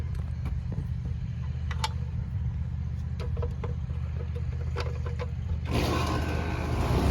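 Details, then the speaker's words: AC outdoor condensing unit after diagnosing shorted contactor, capacitor reading 43.5/7.2 on 45/7.5 µF; even low hum of compressor and fan with a few light clicks: normal running. System low on refrigerant from leaky valve core. "well, she's off and running. Give it a couple minutes, see what it does."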